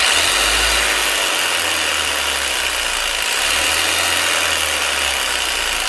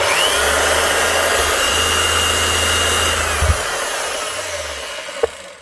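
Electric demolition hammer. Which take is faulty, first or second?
second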